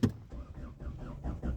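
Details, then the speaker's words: Ford EcoSport four-cylinder with a crank-no-start complaint: the starter turns the engine over in even beats of about five a second with no firing or catch; the relative compression test shows three cylinders near 70%, confirming loss of compression. "But border line ये है इस गाड़ी में Asia museum का कोई fault नहीं है इस गाड़ी में लॉस ऑफ कंप्रेशन है"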